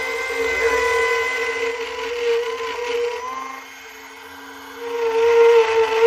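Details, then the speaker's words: Router cutting almost freehand, not tight against the template: high steady motor whine dipping as the bit takes the cut and recovering after; normal smooth running. "not I'm not tight against the template I'm almost freehand here go again"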